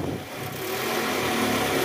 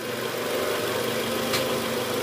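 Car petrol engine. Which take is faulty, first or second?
second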